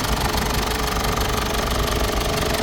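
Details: Mazda BT-50 / Ford Ranger common-rail diesel after injector repair and adjustment for knocking and hard starting: steady idle with an even clatter, no heavy knock standing out; normal diesel idle.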